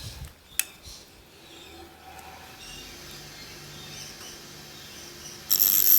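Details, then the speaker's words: Vintage GMF bench grinder, restored with new wheels and shed-made bushes: switch click, then quiet steady low hum building as it runs smoothly with almost no vibration, ending in a sharp hiss. "it sounds beautiful when it starts up as you'll be able to tell when I am I'm gonna turn it on there's almost no vibration to it"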